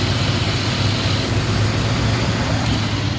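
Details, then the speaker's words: 2002 Dodge Ram 2500 utility truck, 5.9L V8 gas, automatic, about 99,135 miles, warm after running nearly an hour: smooth, even idle with no misses or knocks, revs up nicely; healthy. "listen to the engine revs up nice and idle smooth"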